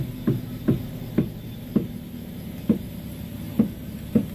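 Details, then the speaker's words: Front wheel of a car (Avanza/Xenia-type) while steering: about seven sharp "tek" knocks every half second at each steering movement; worn tie rod end causing noise when turning. "Nih itu bunyinya ya, Teman-teman. Bunyinya tek tek."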